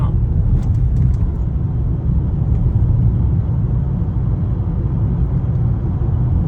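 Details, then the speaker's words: 2016 Toyota Camry after replacing the electric power steering damper, in-cabin on a rough road: steady low road rumble with no knocks or rattles; steering column now quiet, steering feels stronger. "it's very quiet in here now no more Ratt Ling no more no more of this annoying noises"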